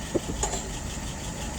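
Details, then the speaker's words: 1948 flathead V8 test engine with a restored WO 636SA carburetor (bowl replaced): soft, even idle at about 650 rpm with a steady low rumble and no knocks or misses; fuel pressure about 3, vacuum almost 23.5. "All right, right now she's idling at about 640. I think I'm going to go ahead and turn that up just a little bit. Okay, there we go. 650 or so."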